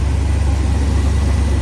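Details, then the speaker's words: Ford F600 truck carbureted V8 with a Holley 4412S two-barrel, after fixing a vacuum leak, before air and idle screw adjustment: deep, even idle rumble with no stumble or miss; running smoothly. "She's sounding really good."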